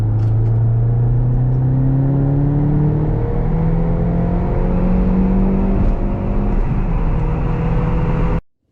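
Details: Mini R56 after injector ultrasonic cleaning, overhaul and replacement for cold-start misfire: strong, even pull in third gear, engine note climbing smoothly under boost with no stumble, miss or hesitation; normal acceleration, engine running well.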